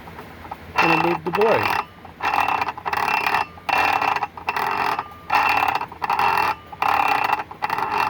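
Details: Brand-new Ryobi PBLCS300 brushless 7 1/4" circular saw, no battery fitted, blade turned by hand: even ratchet-like clicks about every second. Blade and spacers were reinstalled correctly and the noise remains; unknown whether normal.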